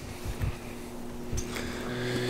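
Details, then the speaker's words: Off-grid solar 12 V garden well pump kit, pump submerged in a ditch-fed tank feeding drip irrigation; steady low hum with fixed tones and rattly buzz, a little noisy with some vibration, cause unclear; pump vibration noise. "might be able to hear it a little noisy there's some vibration in there for sure"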